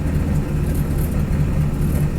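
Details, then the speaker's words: 1978 Ford F-700 V8, daily-driven 3600+ miles, restarted quickly after new plug wires and tuning. Idles at 750 rpm out of gear, clutch out, parking brake off, with a deep, steady, even burble: smooth and healthy. "And it's nice and smooth. Not the clutch out. So that's clutch out of gear. Parking brake off. And that's smooth."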